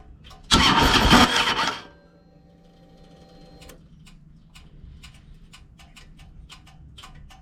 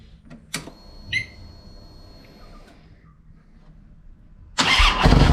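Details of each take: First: 2007 Harley-Davidson Ultra Classic V-twin, warm, after Screamin' Eagle compensator upgrade: short rough burst, then slow clicking for seconds before catching; hard warm start persists, starter now suspected. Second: 2007 Harley-Davidson Ultra Classic V-twin after Screamin' Eagle compensator upgrade for a warm/hot starting issue: a few clicks, then prompt firing into a strong even run with no starter clatter; normal start.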